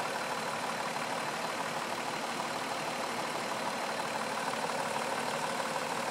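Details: 2004 Mazda 6 3.0L V6 with 94K miles at idle: steady faint low knock about three per second with a slightly uneven beat; rough idle, cause unknown.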